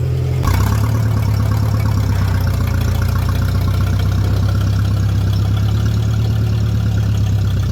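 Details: Tractor, the 504, at steady idle after the muffler was busted off while pulling another tractor through a shed, with the tube broken off the manifold: a deep, loud, raw open bark. Loud exhaust from the missing muffler.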